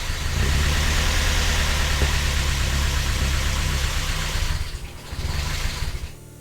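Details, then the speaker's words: Vauxhall Nova on first start with its exhaust: catches and runs lumpy and uneven for a few seconds, then sags and dies; needs throttle, no cold-start enrichment, faulty temperature sensor blamed. "still wants a little bit of throttle still needs a little bit give us a little bit of throttle let's try again"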